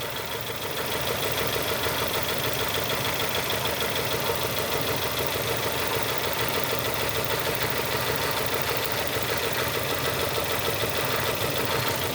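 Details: 2002 Nissan Almera N16 with a QG18 cable-throttle engine, misfiring after a spark plug change; coil signal is confirmed on cylinders 4 and 3, and the cause is two swapped coil connectors. A rough, lumpy idle with a steady stumble every few beats.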